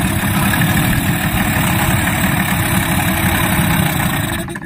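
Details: Yamaha 15 hp two-stroke outboard after head gasket replacement (leaking head gasket caused hard starting), cooling water flowing normally: even, steady putter with rapid beat, no knocks or misses; normal idle.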